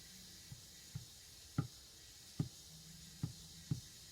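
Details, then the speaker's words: 1984 Toyota 22R, about 200,000 miles, engine stopped, leak-down test on cylinder 3 at top dead center: faint steady air hiss coming out of the breather, not the exhaust, so air is leaking past the piston rings. All four cylinders leak, number 1 worst. "You can hear it when I put my hand over here, it coming out of the breather. Not the exhaust. It's definitely getting by the rings."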